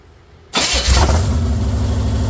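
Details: Chevy 454 swapped into a 1971/72 Pontiac LeMans, first start on open headers with the exhaust not yet welded on, foot off the gas: loud, lumpy, rocking idle, rough running.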